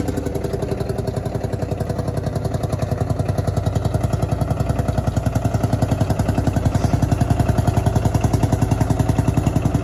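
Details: Field Marshall Series 3A single-cylinder diesel at its first start after a rebore and oversize piston, fitted after a snapped piston ring likely caused by bore pitting. Slow, very even thumping at about 214 beats a minute with a steady low rumble; idling cleanly and healthy.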